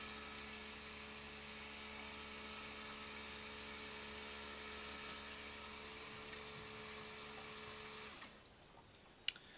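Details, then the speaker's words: LT4 supercharger intercooler coolant loop, GM electric pump: a steady high whir runs 20–30 seconds then abruptly cuts out, the pump shutting off because air in the system is detected, raising intake air temperatures. "See how it just shut off? So that was on probably for 20 or 30 seconds. And then again, the reason why that's being is because there's air in here."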